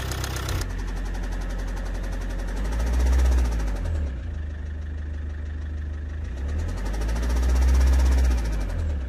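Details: Car engine with a heavy, regular knock at three to four beats a second over a rough, swelling note; it came on suddenly with strong shaking under acceleration and a bad smell, injectors tested OK; bearing knock suspected.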